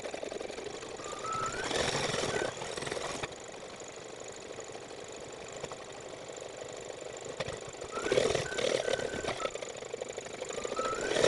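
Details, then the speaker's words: Baby Lock Flourish 2 embroidery machine, 80/12 needle, stitches with a dull, uneven thump at each needle stroke, a sign of a dull needle; the needle was changed. "I took the opportunity to change the needle real fast because I could hear it thumping into me that signifies that the needle is dull"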